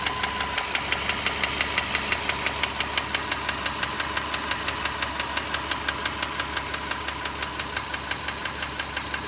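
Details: Petrol engine at idle, ~45,000 km over 4 years of ownership: sharp steady ticking about three per second, not fading at normal operating temperature; owner doubts piston slap; cause unknown.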